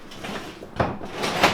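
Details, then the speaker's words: Shovelhead chopper rear mechanical brake: two dull knocking clunks about half a second apart as the rear end moves; play lets the frame-anchored backing plate lug shift and hit the frame. "okay that noise is the whole backing plate shifting in there and hitting the frame"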